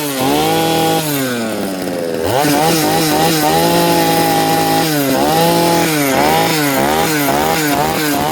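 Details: Rebuilt two-stroke motor after carburettor cleaning and idle tuning: crisp note rises and falls cleanly with the throttle, with no stumble or hesitation; the engine is running properly.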